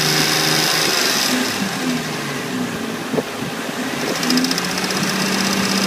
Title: Revving with ticking sound